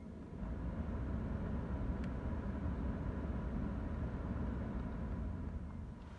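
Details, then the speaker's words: BMW 3 Series F30 heater blower after removal, lubrication and reinstallation: steady, even rush of air with the former whistle and squeak gone. "включаем зажигание и вентилятор swiss пропал"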